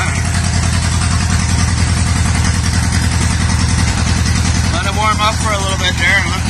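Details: 1950s-60s John Deere bulldozer, petrol engine, abandoned 20+ years, first start after refitting plugs and starter fluid: steady even low chug at warm-up idle, no stumbling or knocking; running properly.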